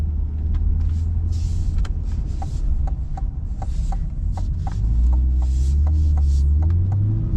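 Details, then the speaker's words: 2024 Chevrolet Corvette C8 Stingray, owned 3 months, driving with roof off at 56°F: sharp light ticks, three to four a second, somewhat uneven, over low rumble from the right side; owner suspects an exhaust or manifold leak. "what is up with the ticking noise in my car right is that normal C8 I've only had the car 3 months the radio is usually on I never really noticed it until today driving around but it was a constant like ticking like either an exhaust leak or manifold leak"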